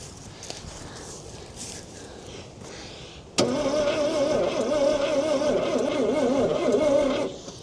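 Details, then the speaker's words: About 1968 Ford Falcon petrol six-cylinder, parked since 1990 with 20,000 original miles, oil filter pre-filled: starter grinds in with a sluggish, uneven churn about three beats a second; slow cranking. "It's winding slow. Um maybe it might help the starter a little bit if I turn it on."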